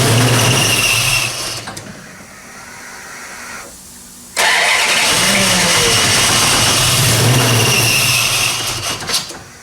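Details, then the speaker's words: 1968 Plymouth Barracuda, ATK crate V8 with new ACES EFI distributor, first fire-up: engine fires and revs with a steady high belt squeal; owner suspects something loose, belt likely sitting off a rib, misaligned. "you got to figure out why my belt's squeaking so bad shouldn't be doing that wonder if I have something loose maybe"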